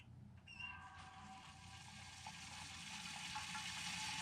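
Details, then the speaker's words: Oil extractor (EWK 6.5 L vacuum pump) pulling warm oil from a car engine run 30 to 40 minutes earlier: steady hiss turning rough and gurgly at the end as the sump runs empty and it sucks air. "can hear there at the end that's getting that's where we're running out of oil in the engine"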